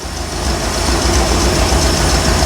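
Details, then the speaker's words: 1975 Bricklin SV-1 V8 running rough at idle after cooling system work, with irregular low exhaust pops and thumps; temperature-gun checks show some cylinders much colder, about three cylinders misfiring. "it's kind of boring it's just running runs bad but it runs let's just see here we I bought out the uh temp gun see if all the yeah it's missing on this you hear it popping"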